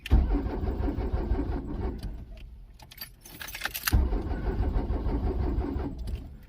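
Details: Diesel truck unused for many years with a flat-dead battery, cranked via a lithium jump starter: two bursts of low, labouring cranking with a pause between, never fires; weak battery suspected.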